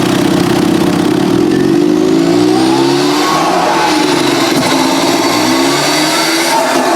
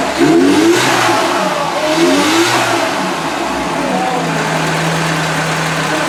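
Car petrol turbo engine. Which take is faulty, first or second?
first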